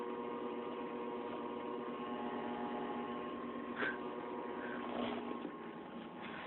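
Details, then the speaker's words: 1993 Mazda Miata with new Walbro fuel pump replacing the Denso, engine idling: steady mid-pitched hum, even and very loud above a quiet idle; new electric fuel pump working normally, just noisy. "I could hear it I don't know if you guys can hear that or not but it is very loud"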